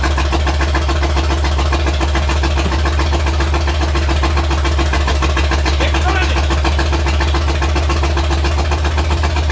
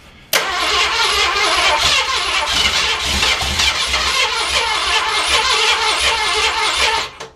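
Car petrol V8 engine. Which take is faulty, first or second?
second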